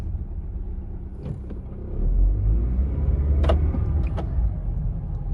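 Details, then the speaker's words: 2007 Honda Civic while driving: sharp snapping clicks in bursts over low road rumble as door locks actuate every time it stops and goes over about 10 mph; also alarm trouble; suspected loose part or broken door lock latch cable. "Also, when you're driving, if you guys can hear it, every time you stop and you go over about 10 miles an hour, the door locks always actuate on"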